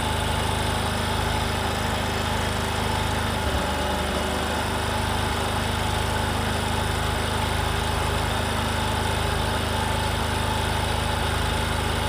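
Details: Discover motorcycle, in a clip about mileage and engine-sound problems: steady single-cylinder idle with an even beat around 220 per minute, a light buzz and no knocks or misses; runs smoothly, a normal idle.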